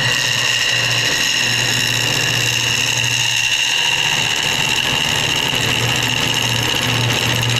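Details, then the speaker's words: Wood lathe turning a hard piece with epoxy and banksia pods, gouge cut with the bevel rubbing: even, steady hiss over a low motor hum with no chatter, unlike the earlier vibrating, skipping cut. "so now I'm going to do it where the bevel is rubbing and you're going to see a noticeable"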